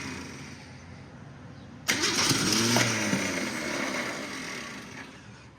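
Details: Car sitting almost 20 years, no radiator, throttle cracked slightly due to sticking linkage: starter whines sharply through a few seconds of cranking, a couple of puffs almost catching but never running; cranks, no start.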